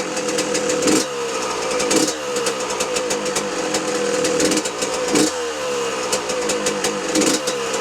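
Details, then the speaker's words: 2006 Yamaha YZ125 two-stroke after a full engine rebuild: crackly revs rise and fall with a light tinny rattle riding over the engine; loose screws are rattling on the bike. "There's still a few screws loose on this bike, I can hear them watching this back, rattling about."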